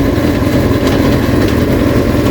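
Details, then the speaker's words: Rebuilt Kawasaki Ninja, warm and up to temperature on the stand, in gear with the rear wheel spinning and shifted through all six gears: smooth, steady engine drone, no knocks or clunks. Engine and gearbox healthy. "i've also just put the clutch in and kicked into first weights up on the stand to get the gearbox moving to obviously make sure it goes through all the gears all right which it does"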